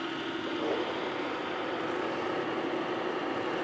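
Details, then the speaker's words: Horizontal mill in high range, 466; steady even gear whir at constant pitch, no knocks, clicks or grinding — gearbox running smoothly; grungy machine, motor drive running on one belt. "Nice and smooth. Take a look at the motor and the clutch."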